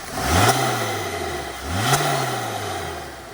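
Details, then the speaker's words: Interior recording, Honda S2000 with Kraftwerks Rotrex supercharger after converting from cogged belt to ribbed serpentine belt: two sharp rev blips climbing and falling cleanly, no high blower whine as before; normal quiet supercharger running. "So here's an interior noise with the rib belt kit that we just put on. So you don't really have much of that whine anymore."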